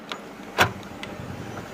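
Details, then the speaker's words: Ford Fiesta boot (dicky) lock after fuse problem fixed, opened by double-pressing key remote: sharp single actuator clunk then lighter click, crisp with no buzzing; boot lock releases normally. "यह खुल गई हमारी dicky"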